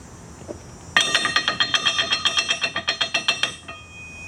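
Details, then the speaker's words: TIG welder on test after relay contacts were cleaned and sanded: really loud rattling, rapid metallic clacking about six a second, from the big three-contact main relay chattering open and shut. "Sort of like that. Really loud rattling sound. And I could obviously tell that it was coming from the main relay."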